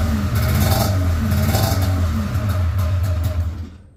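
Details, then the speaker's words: Polaris RMK 700 snowmobile two-stroke build: rough, lumpy idle with an uneven beat about three times a second, sounding like it's only firing on one cylinder; cause unconfirmed. "yeah sounds like it's only hitting on one cylinder"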